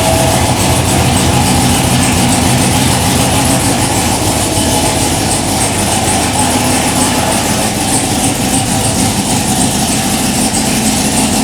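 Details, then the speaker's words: Third-gen Camaro IROC-Z V8 idling on first start, with a fast, sharp puffing tick from an exhaust leak at a loose coupler. "3, 2, 1. Sounds pretty good. Except for that exhaust leak that I can hear."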